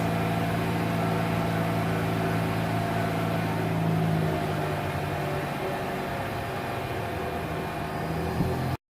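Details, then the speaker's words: Mazda RX8 rebuilt Renesis rotary, first start after rebuild and cranking for oil pressure, started first try: steady, even buzzing idle settling after a few seconds, no misses or knocks; runs smoothly. "After we get oil pressure, we'll put those plugs in, crank it up, should start. Just like that, started on the first try."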